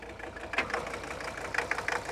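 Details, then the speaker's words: 1981 Mercedes-Benz 300 SD, OM617 5-cylinder fully mechanical turbo diesel, low mileage, running after sitting 5-10 years: steady, even light clatter at idle with no uneven knocks or misses; normal Mercedes diesel rattle. "This thing definitely has that diesel rattle. A Mercedes diesel, nonetheless."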